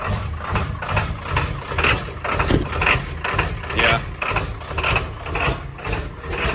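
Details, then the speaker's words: Ford 7.3L Powerstroke diesel with cold/hard start issue: fussy idle lurching in uneven surges about once a second with harsh cackle and shudder; scan tool showed the brand-new Motorcraft ICP sensor faulty after 50 miles. "okay so you can hear it kind of cackles it shutters it has some problems"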